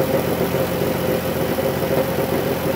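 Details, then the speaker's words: Dodge Grand Caravan 3.6 L with 133,000 miles, recently worked on: steady metallic rattle over smooth idle, judged not a typical lifter tick or rod bearing knock; others suspect a lifter, source unconfirmed. "it's that rattling sound so this was left for me to look at I work here part-time helping out with Fleet Maintenance and uh they wanted my for me to give them a second opinion on it they think it's coming from a lifter that noise is not a typical lifter sound it's not a rod bearing sound"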